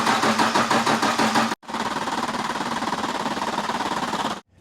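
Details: 1995 Dodge with 12-valve Cummins diesel, injection pump refitted after being left off. Steady cranking at about three beats a second with the engine never catching; diesel has not yet reached the injectors.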